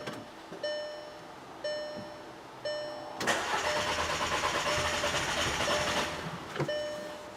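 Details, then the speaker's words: 2009 VW Passat 2.0T GDI with intermittent stalling and no restart, check engine light on: chimes then about three seconds of steady cranking that never catches, no drive signal reaching the fuel pump, fuel pump module suspected. "right now it's not starting we got no signal going to the fuel pump so it could be potentially an issue with this module"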